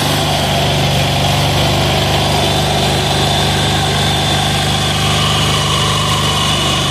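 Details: 186FA single-cylinder diesel running on Road Tech synthetic blend 10W-30 motor oil as fuel. An even, steady chug at idle with no misses or knocks; the engine runs smoothly.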